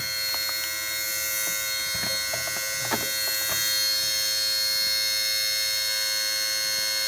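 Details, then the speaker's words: Mercedes SLK230, warm engine, car switched on but not running, new since a shop visit: shrill buzz with faint clicks from near the bottom of the radiator, possibly a valve or solenoid; cause unknown. "I'm not sure what's down there that's trying to turn or trying to do something. Some kind of valve or solenoid or something. Sounds like it's just going nuts."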